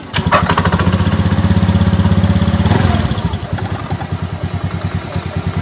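Small single-cylinder scooter engine ticking over with a steady, even putt-putt and no knocks or rattles; sounds healthy at idle.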